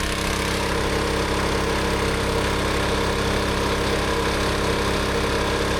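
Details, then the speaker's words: Rebuilt old gas-powered air compressor at full tank pressure: small petrol engine runs steady and even under load, pump thumping smoothly with no knocks or misses; slight air leak only while a valve is open at high pressure. "So this is working exactly as it should now."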